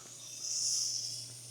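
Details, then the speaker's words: 1971 Mercedes-Benz 300 SEL 3.5, air suspension released via the knob under the hood: thin high hiss swelling then fading over about a second as air bleeds off and the car settles slowly, seemingly front right first. "Oh, there it goes. There goes the air. It's a little slow on going down. I think the front right is going first."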